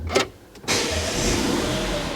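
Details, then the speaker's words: Vauxhall Grandland bought from auction as a non-runner, low on fuel: a brief whir, then the engine catches at once and settles into a steady, even idle with no knocks or misses; normal start and idle. "engine sounds good so everything sort itself out there"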